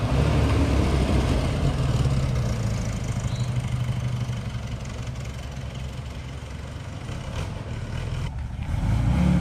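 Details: Porsche 914 with freshly installed 2-liter engine, cold start after new motor fitted: smooth, steady low idle with a slight dip and recovery, no misses or knocks; healthy normal cold start idle.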